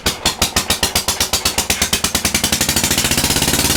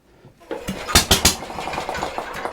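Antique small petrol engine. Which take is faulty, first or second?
second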